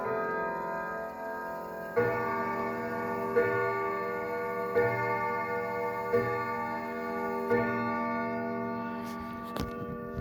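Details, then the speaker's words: Sligh triple-chime grandfather clock, circa 1980–81, recently repaired: on the hour, clear bell tones strike about every 1.5 seconds in an even sequence over a steady ring; normal, well-regulated chime. "you have it that is the sly grandfather clock triple chimes circa 1981 i believe or 1980"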